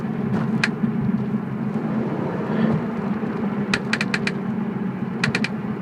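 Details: BMW E46 while driving: crisp metallic clicks in quick bursts of three or four, about a second apart, over low road hum, coming from the rear; rear clicking noise.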